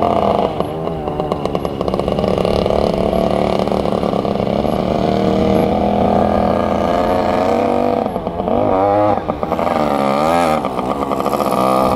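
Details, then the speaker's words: 1967 Yamaha YL1 two-stroke motorcycle, barn find revived after sitting over 40 years, normal running: steady buzz with crisp ring-a-ding note and a couple of clean revs; fired right up and idles perfectly. "Well, that was awesome. She fired right up and idles perfectly."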